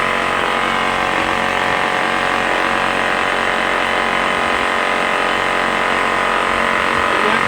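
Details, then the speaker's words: Generator with fouled carburetor and hydrolocked engine, now running after Seafoam cleaned the carb: steady even hum at constant speed without surging or stumbling; running smoothly. "any kind of good uh fuel system cleaner we'll do the trick and that'll help uh keep it running smooth nice work Exo Man"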